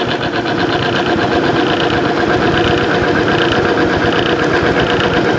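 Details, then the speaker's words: Timken OK load test machine, rotating test arbor after Amsoil 10W-30 synthetic failed under weights: loud steady drone with uneven thumping bounce about four times a second under load; arbor torn up and due for replacement. "we still got a heck of a bounce that AMS really tore that Arbor up looks like it's time to replace it"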